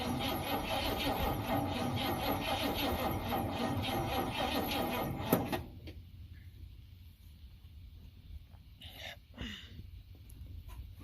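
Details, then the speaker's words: 1971 Ford F100 V8 on a small battery. Labored cranking at about three turns a second that never catches. Slow cranking; owner suspects the tiny, hot battery. "Okay, could, then again, it could literally just be this battery. Because, I mean, look how tiny it is. Ooh, that was hot. This little battery probably can't do it."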